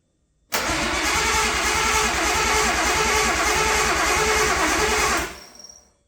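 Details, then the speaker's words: RB20 powered up for the first time in five years after a rebuild, fuel pump running constantly: steady rhythmic cranking about five seconds with spark but no firing; owner still unsure why it won't run, cam half-moon piece found broken off. "Wow, it cranks. Oh, that's so exciting. She spark. Okay, so I'm trying to still figure out why this isn't running."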